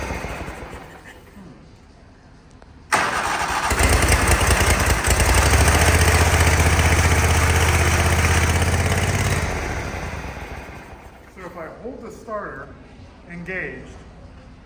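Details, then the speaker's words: Toro Wheel Horse mower with power steering: small engine fires and runs steadily, quiet, with the starter whirring underneath, then fades once the key is released. "stay running. That's weird."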